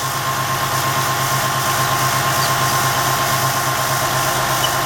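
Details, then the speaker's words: 2004 Ford F150 Heritage 4.2 V6 at idle with the viscous fan removed, in a cold 60°F garage: a thin, high squeak starts over the belt drive and holds; the replacement water pump, about 4,000 miles old, is suspected, not confirmed. "I think I kind of hear a sweet rear that sleep yep there's a squeak oh my goodness"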